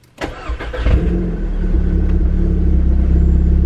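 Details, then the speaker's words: Built MK6 Golf R first start after installing CAT cams and resealing the cam tower: starter turns briefly, then an even, steady idle with no ticking or knocking, though leaking fuel and heavy oil smoke; cam timing then confirmed correct. Normal idle. "Alright, the engine sounds good, but I'm going to just verify that the cams are timed correctly, just in case."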